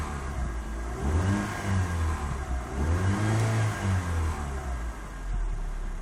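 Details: 2005 Proton Savvy, about 157,000 km, nearly 7 years, two owners: revs rise and fall with an uneven low rumble and odd irregular beat underneath; unusual engine noise, cause unknown.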